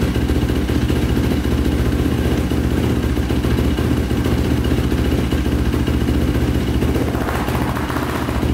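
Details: 2005 Yamaha YFZ450 big-bore single after rebuild, carburetor refitted (owner suspects a clogged pilot jet): even, steady idle with no stumbling or stalling; pipe getting red and hot, owner unsure if normal.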